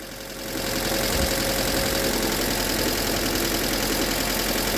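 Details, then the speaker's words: Engine that locked up on the highway after running with no oil, first start after replacing rod bearings: catches into a fast idle with a light, uneven tapping underneath; slight knock, as expected, consistent with mild rod knock. "Oh shit, it's running. Oh shit. Oh shit. Oh gosh. Oh my god. It's got a little knot to it though. And I kind of expected that. But it's running."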